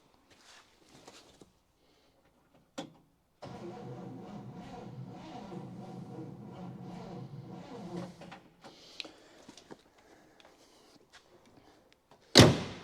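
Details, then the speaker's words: 1960 Chevy Brookwood wagon, sat 20+ years, battery on charger, no coil fitted yet: slow labouring four-second crank that never picks up speed; starter works but is weak. "it works but it's a little weak so we'll see if uh we can get it turned over or get to fire up this way"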